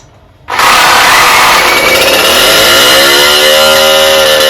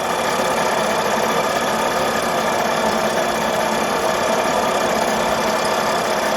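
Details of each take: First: Rebuilt two-stroke cyclo (moped) engine after swapping the likely clogged original exhaust for another: sharp, buzzy note screams straight up to high revs and holds steady, now revving freely; the exhaust was the only difference. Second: Cyclo (moped) with rebuilt two-stroke engine running on the test bench during break-in: flat, choked buzz stays pinned and won't climb in revs; a blocked exhaust is strangling it.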